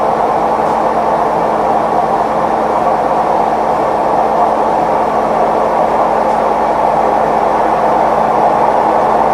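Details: Maytag Neptune MAH19 washer ramping to max extract spin: steady, heavy rumbling roar like a passing train; bad drum bearings, worsened by unlevel machine with stuck feet.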